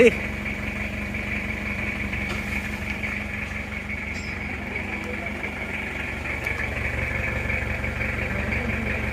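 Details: Toyota Kijang diesel 2L just started after rebuild for oil burning from 2 mm ring gap, new liners, original pistons reused: steady even idle clatter with faint whine, no misses or puffing, clean exhaust, smooth healthy sound.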